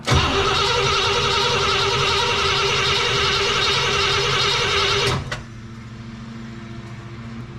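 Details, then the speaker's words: Cadillac 390 V8: steady starter churning, about four beats a second, for five seconds with no firing; cranks but won't start, apparently not getting fuel yet and out of fuel in the can. "don't think it's getting any uh fuel yet and I'm out of fuel in my little can here"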